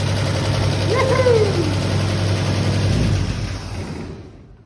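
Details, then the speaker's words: Fire-damaged 1951 Chevy six-cylinder, radiator missing, carb leak stopped after tapping it: deep even low rumble with one quick rev rising and settling cleanly; running smoothly. "So it's running awesome. The carb stopped leaking after I hit the side of it."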